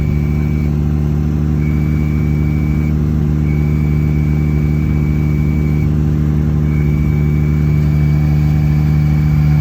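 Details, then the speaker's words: Jeep Gladiator manual, still noisy after a throwout bearing replacement and hard to get into first gear since the transmission was opened: a thin high squeal cuts in and out over a steady idle, fading as the idle changes. "So anyways, but I'll put those videos in now of the squealing so you guys can hear that."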